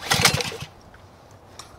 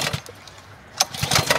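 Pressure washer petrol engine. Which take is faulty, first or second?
second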